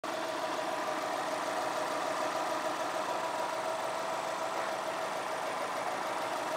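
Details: 2002 Subaru WRX at idle, said to need an engine: busy metallic rattle with a faint knock about three times a second; engine knock.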